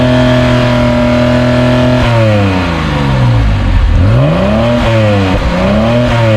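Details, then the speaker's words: 1971 Mercedes-Benz 280 SE (W108) six-cylinder after mechanical fuel injectors were tested and cleaned; idles smoothly, then revs cleanly up and back down with even pitch and no stumble, and it sounds good. Normal idle and revving. "Tell you what, sounds good."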